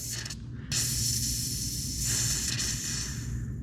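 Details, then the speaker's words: 1980 squarebody 4x4 with newly installed fuel system, no leaks found: pressing the fuel rail Schrader valve gives a sudden, steady hiss with slight surges as trapped air vents from the fuel rail. "Oh, right there. There we go. A little air in the system, huh?"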